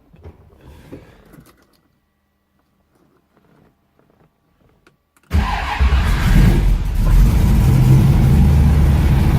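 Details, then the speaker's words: 1969 Ford Mustang V8 with FiTech fuel injection: near silence, then a quick catch without hesitation into a strong, even rumble and steady idle; healthy start. "doesn't hesitate at all it means they started"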